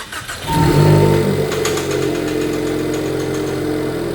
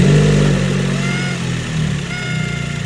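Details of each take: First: Ford Focus daily/track car after repair work on a whining noise the owner suspected came from the PCV crankcase baffle plate: a cold start that fires quickly and settles to a steady, slightly high cold idle with no whine or hiss. Normal cold start. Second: Ford Focus SC1 daily driver and track car, engine revving: a thin, steady whine rising with the revs over the exhaust. Owner suspects a leaking PCV crankcase baffle plate, a known issue on this car.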